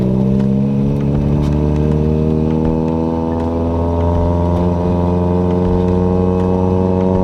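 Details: Toyota Corolla with 4.8 GE engine swap (revs to 8k rpm), warmed up, test drive after a clutch adjustment: revs climb without matching pull, exhaust leak rasp behind; clutch slipping hard when revved.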